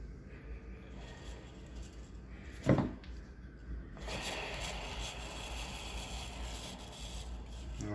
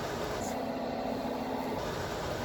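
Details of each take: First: Old worn fan (blower) motor from a 2009-or-earlier Amana PTAC, run before fitting a new replacement motor: a loud, rough, raspy whir and rattle from worn motor bearings, the same noise heard earlier but louder. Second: Amana PTAC (2009 and older model) after teardown and rebuild, plugged in: steady soft rush of air with faint low hum, no bearing noise anymore; normal quiet fan operation.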